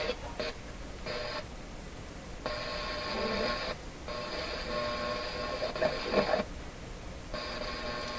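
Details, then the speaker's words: Grundig Prima Boy Luxus radio on FM, intermittent reception fault, connections previously resoldered: sound abruptly drops to near silence and returns repeatedly in irregular blocks, seemingly cutting out on strong stations. "almost like it shuts off every time it picks up a strong station that sounds crazy"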